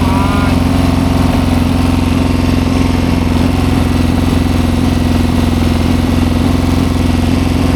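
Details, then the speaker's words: 1972 Triumph Bonneville 650 twin, revived after sitting roughly ten years; with the choke finally turned off it settles into a steady, even idle at about three beats a second with no misfire. It runs cleanly now. "That would explain it. Now it sounds good. Sounds better."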